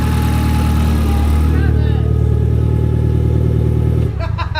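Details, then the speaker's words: Nissan 240SX on Royal Purple oil, started after an oil leak that caused a fire: deep, steady idle with even exhaust beat, no knocks or rattles; light smoke from the manifold was from greasy hands. "so it started up there's a little smoke on the manifold but that was just from our greasy hands touching it but seems okay for now"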